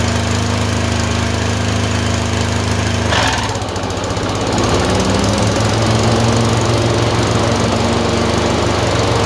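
The twin runs with an uneven beat, dropping out abruptly and picking back up with a lumpy, irregular rhythm: surging with random misfires.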